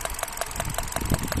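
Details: Hyundai Accent Kappa engine, manual transmission: idle pulses about three a second with an uneven, stumbling beat, a rough idle suggesting a misfire; cause suspected, not confirmed.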